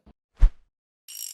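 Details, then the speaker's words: Ant (Муравей) scooter reverse gearbox, after replacing bearings and reverse lever bushing to cure play in reverse shift, reassembled: one firm clunk as reverse engages, short dry lever scrape, no loose rattle; normal reverse shift. "потім коли все скручу спробую як перемикається туди-сюди"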